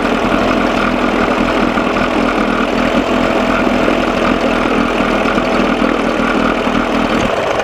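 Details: 1987 Johnson 6 hp two-stroke outboard on a bucket, lukewarm, after carburetor linkage fix; steady buzzy idle with even rhythm, no sneezing or dropouts after mixture adjusted from lean miss; runs smooth but still too cold.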